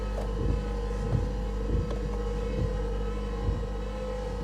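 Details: Car at a salvage auction, gasoline engine firing when the gas is pressed: low droning engine with an uneven thump about every half second. A loud whining noise is noted and the engine then dies. Rough running, cause unclear.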